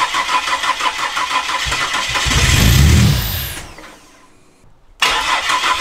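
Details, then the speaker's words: Ford Falcon EF with Barra turbo engine swap, first start attempt: starter churns about three beats a second, briefly catches and flares then dies; crank, no-start, cause not yet found. "I don't know why it's not running it's still nothing"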